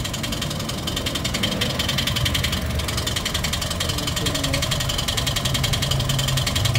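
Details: Toyota 1NR-FE engine with nearly 400,000 km, idling before repair: fast steady metallic ticking over a rough idle; loud timing chain noise; timing chain later replaced and hydraulic lifters cleaned.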